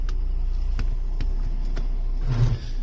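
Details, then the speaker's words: Kia diesel at idle during a hydraulic clutch troubleshooting and pedal check, pedal pressed to engage reverse: a few light clicks, then a short gritty crunch as reverse goes in; reverse is stiff, gears notchy, clutch likely not fully releasing. "no I'm not happy with the reverse so it is stiff"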